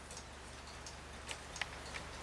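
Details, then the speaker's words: Hamilton carriage clock with balance escapement, just got running after oiling and a balance escapement fix: soft, light ticks at an even pace over quiet room hiss, escapement beating steadily; normal ticking, an easy fix. "And you can see it's just ticking away. So this was I guess an easy fix on this clock."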